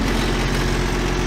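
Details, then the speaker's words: Generator on a Peterbilt 379 truck idling, steady low diesel note with loose buzzy rattle like a cover panel shaking against the frame; owner plans weather stripping under the cover, cause suspected. "Well, this thing's still rattling. So I'm gonna take the cover off right here and put a piece of weather stripping right there."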